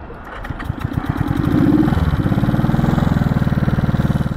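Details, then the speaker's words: 1970 Honda CB350 twin after sitting a year: revs rise, then sag into a slow uneven thump that struggles to pick up; bogging, owner suspects old gas or low battery, not confirmed. "yeah she's bogging bogging a little bit old gas maybe I don't know little boggy like she should rip out of"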